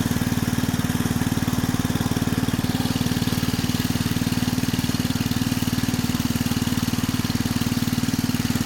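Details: 1965 Rugg Carpet Cut riding lawn mower, repowered with electric start, idling: smooth, even single-cylinder putter with a steady beat, no misses or knocks; sounds good, healthy.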